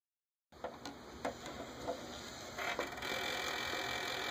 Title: Xbox One Titanfall bundle grinding noise.